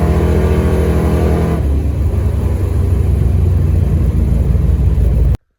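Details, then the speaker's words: Dodge Dart, new 403 stroker V8 with Hedman ceramic headers and Flowmaster FX muffler, first fire-up with awesome oil pressure: deep, even rumble climbing and settling smoothly, no misses, knocks or ticks. Normal revving; later ran flawlessly over 47 break-in miles. "It's alive! And we got awesome oil pressure. pressure. And listen to that exhaust. Hell yeah!"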